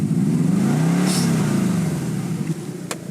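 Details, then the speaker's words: 2004 Subaru Forester STI, EJ20, 103,203 km: engine revs smoothly and settles, with a slight hesitation on tip-in. Dirty throttle body suspected; cleaning the MAF sensor and throttle body usually cures it. "There is a little bit of a stumble at tip in, and so the EJ20 engines don't like it when their throttle body gets dirty."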